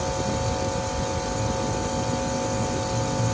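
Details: Old R22 ducted system compressor after replacing a failed crankcase heater and adding about 700 g of charge (3.2° evap): a steady, even hum and fan rush with no knocking; normal running.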